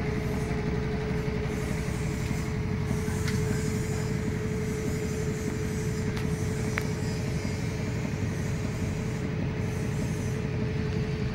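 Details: Samsung top-load automatic washing machine after repair of DE error and no-spin fault: steady deep rumble with even mid-pitched hum, no knocking or scraping, drum spinning smoothly at speed; normal spin cycle.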